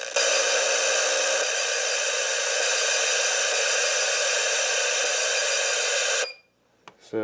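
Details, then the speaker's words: FPV setup (Mobius camera, Fatshark 250mW transmitter, ImmersionRC Uno5800 receiver), monitor getting no video: loud steady static hiss on channels, then near silence on the one channel owner assumes the transmitter uses. Cause suspected, not confirmed. "all the channels have static except the first one so i'm going to assume that that is the channel that the video transmitter is transmitting at since it's blocking out all of the radio interference"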